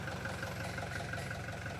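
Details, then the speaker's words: Toyota Fortuner diesel that cranked but would not start; fault was in the high-pressure fuel pump feeding the injectors, and injector fittings were resealed and tightened. After repair it runs with a steady, even idle, soft regular clatter, no misses or knocks. Normal idle. "Pagkatapos ayan umandar na. So okay na. Umandar na yung engine so gan lang pala kadali magtrble shoot ng Toyota Fortuner."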